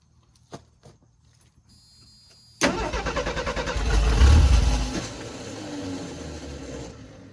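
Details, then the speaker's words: 1984 Ford F250 flood-recovered truck with an empty carburetor, cranking on a jump box: quick, even cranking with strong starter bite, far faster than without the jump box; nearly fires. "yeah made a huge difference it nearly fired even with the carburetor bows being empty"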